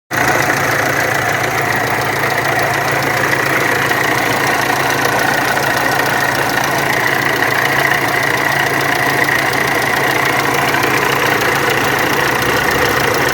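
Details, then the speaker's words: VW Amarok turbo diesel at idle: harsh, uneven clatter with a constant rough drone; camshaft pulley and high-pressure pump timing were out, water pump bearing has play and leaks coolant. "ô galera aqui na maroka ela tava fora do ponto a polia de do comando aqui eu tive que colocar depois não deu certo nem a da bomba de alta também tava fora só lá embaixo tá agora Olha aqui já tá caindo água direto da bomba d'água"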